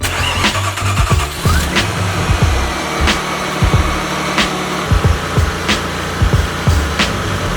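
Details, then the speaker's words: 1997 Ford Probe GT, first start after fitting a cold air intake: engine starts and holds a fairly steady mid-pitched idle under background music, no knock or stumble. Running well, and the check engine light is off afterward. "actually seems to be running well let's go take this thing for a drive"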